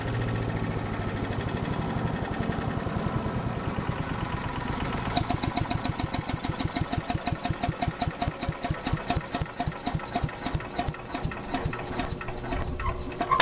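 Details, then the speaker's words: Troy-Bilt 24A-414B711 direct-drive shredder chipper after carburetor fuel fitting, oil change and recoil service: engine runs evenly, then idles down with rhythmic clanking from centrifugal swinging blades falling back; normal. "all right nolleke sounds good that clanging has idles down it's the type of shredding blade it uses"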